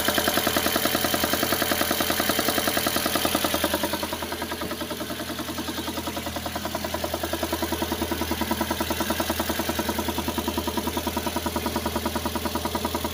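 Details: VAZ (Lada) engine, cold: even metallic knocking about three and a half times a second at idle that disappears once the engine warms to about 50°C: cold engine knock.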